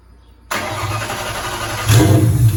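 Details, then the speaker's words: Engine in a 2003 turbo Mustang Cobra, first start after reinstall with new valve cover gaskets, return-style fuel system at about 55 psi, intercooler cold-side pipe disconnected: short crank, catches at once, deep steady even run; normal start. "Sounds good. I'm glad to hear it run again."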